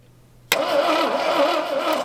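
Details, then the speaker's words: AMC Rebel SST sitting 35 years since 1989, cranking on brake cleaner with no gas; quick smooth even whir with no firing or chuffing between strokes; owner says it has zero compression. "That sounds awful. It has 0 compression currently. You can tell by the way, it's not like, you know, shaking or anything. Like you can tell it'll kick when it has compression. This thing has nothing."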